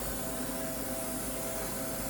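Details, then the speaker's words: Ultrasonic welder during setup, with air pressure restored but power not yet on: steady, even hiss of escaping air with a faint hum underneath and no rhythm; air is leaking from the pneumatics. "So on your part, you see here? Oh, see you the get air? that noise. You see the air?"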